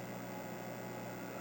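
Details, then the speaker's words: Second Super Pac-Man arcade PCB, which has coin/start issues, at power-on: constant low mains-type hum with a faint buzzy edge from the speaker; owner suspects audio-section caps or the amp. "I don't like the way the speaker sounds yeah listen to that might need some new caps in that audio section or the amp or something"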